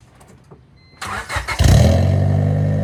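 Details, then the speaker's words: Normal exhaust note on a 1996 Honda Civic CX after fitting a replacement eBay exhaust with the rear silencer kept: the engine starts and drones deep and even with no puffing. Much better than before, though it rattles slightly. "All right, that is significantly Definitely better. I can live with that. And it only rattles a little bit."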